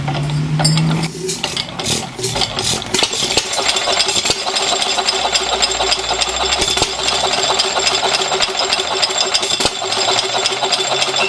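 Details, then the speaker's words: Buzacott 2hp hit-and-miss engine, hand-cranked via the flywheel with choke at a fairly rich setting and oiler open, starts with loud irregular popping and clattering valve gear, then runs strongly; normal running. "okay so now you've seen how it works more or less um let's uh start it up"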